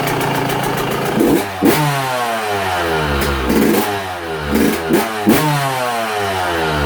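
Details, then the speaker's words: Cold Yamaha YZ125 two-stroke on 25:1 premix, idle set to just barely run; ticks over very slowly between short throttle blips, sweeping up and settling back, holding idle only if throttle is let down gently. "come on don't now I got it set it where just barely idle but you got to set it down gently there we go"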